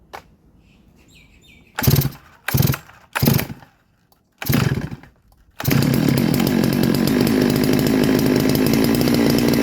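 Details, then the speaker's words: Clone MS660 Neo-Tec NS892 big-bore chainsaw, cold, after fitting a cannon muffler: four starter pulls, then catches into a steady deep even run, no misfire; exhaust noise now directed away from operator, healthy. "Now the noise has been thrown away from the operator. When you come to the front, you hear the noise, but behind it you can't really hear it, so it's good. And you hear it once to it just sounds like it wants to cut. It's a real good sound."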